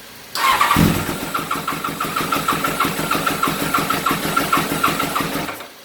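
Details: Small engine started with cables, choke open: cranks, catches, then runs with uneven, stumbling pulses for a few seconds before dying; still hesitant to start, running rough.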